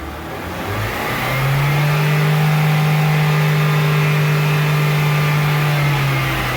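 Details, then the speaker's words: Chevrolet Onix (Prisma line) 2015 after repair and reassembly: smooth even engine note climbing steadily with no whine, grind or clunk; the earlier strange engine-or-gearbox noise is gone, normal gearbox operation. "E aí Oi Oi galerinha e o barulho não tem mais viu"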